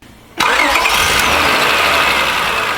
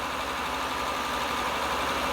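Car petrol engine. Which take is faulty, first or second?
second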